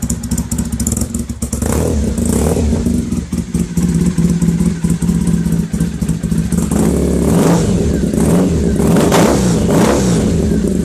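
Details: Freshly rebuilt Bonneville twin, just finished and awaiting a test run (may need rejetting): it rumbles crisply with clean throttle blips rising and falling, no knocks or misses. Normal running.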